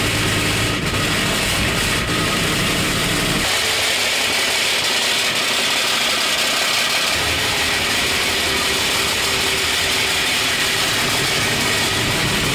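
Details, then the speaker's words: 1965 Mustang project car at cold idle: loud harsh metallic rattle over a rough idle that eases then returns; seller reports a flywheel issue, suspected flywheel rubbing the transmission and going away when warm, unconfirmed; engine rattle at cold idle. "Turn that off. It's very loud. Alright, so Nick said that there was an issue with the flywheel. So I guess The flywheel's rubbing the trans or something."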